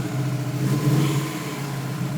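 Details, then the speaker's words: 2004 WRX with a new motor installed a week earlier, revved lightly; the rpm rises unevenly and stumbles; rough since cold start, it jerks and won't hold steady rpm while driving, with no code read; the cause is unknown. "see the hesitation I have no idea what's going on all right thanks guys"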